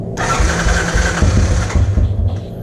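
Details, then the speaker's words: 1986 Honda TRX 200SX ATV single after carburetor cleaning, start on choke: starter catches quickly, settles into lumpy but even thumping idle; normal start. "right well that sounded good take the choke on"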